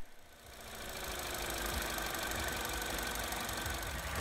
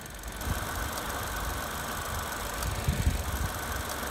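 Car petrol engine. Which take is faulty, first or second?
second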